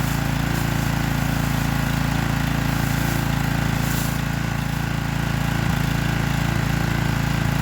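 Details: Troy-Bilt pressure washer single-cylinder engine, left running after washing, load off, no air filter, spark plug only finger tight with water on it: steady even low thrum, no misses or knocks, running fine.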